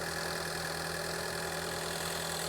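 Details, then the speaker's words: Ford Escape with intermittent check engine light and misfire, after spark plug replacement and codes cleared: smooth even idle with a steady low drone, no skips; fixed, it just needed spark plugs. "So, let's look at our misfire data to see what we got. Yeah, I like how this engine sounds."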